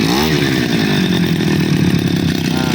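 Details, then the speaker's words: Two-stroke grass cutter after replacing the faulty part, glued so it won't leak; ignition and carburetor had checked OK. Started on choke, then choke opened slightly: a buzzy drone holding a constant pitch without stumbles. Running stable; fault cleared. "Stabil ya. Coba kita gas."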